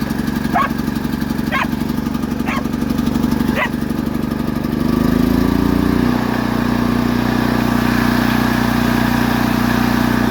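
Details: Predator 8750 W Harbor Freight generator after carburetor replacement to fix a no-start (broken choke plastic): steady, even speed, picks up smoothly as load comes on and holds a constant hum; running normally and quieter.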